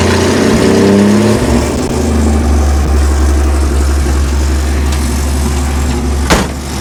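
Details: 1963½ Ford Falcon Futura, off the road 18 years, after a new battery and sitting overnight: catches with rough revs that surge and sag, then settles to a lumpy idle; stumbling start, cause not pinned down.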